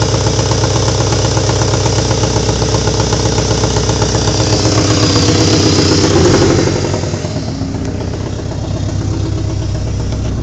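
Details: VTS engine with a loud, fairly even idle that rises on a blip then settles, with a faint stumble. Plugs and coilpack have been replaced and cam timing checked; compression is 225/232/240/230 psi. MAP and crank sensors are untested. Possible misfire, cause unclear.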